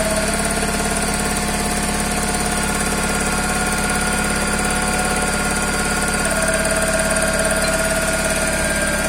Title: Toyota Corolla 5e-fe стук двигателя